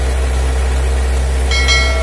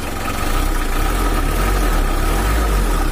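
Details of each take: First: Factory-stock Mitsubishi L300 4D56 diesel, untuned since 2016, that was weak on hills and slow to pull. After valve and injection pump adjustment, the idle is steady and even with a dry clatter that is not too rough. Normal idle. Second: Factory-standard Mitsubishi L300 4D56 diesel, not tuned since 2016, weak on hills and slow to pull: steady idle with a coarse, uneven clatter over a low drone. The mechanic suspects something inside.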